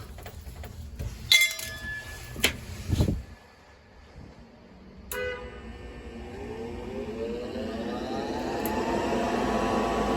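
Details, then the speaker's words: Lux Air gas-fired furnace, no-heat call caused by flooded, miswired panel humidifier, after disconnecting humidifier wiring: click then smooth inducer hum rising in pitch, no rattle, ignition follows; normal inducer startup. "Houston we got ignition we got ignition Hallelujah"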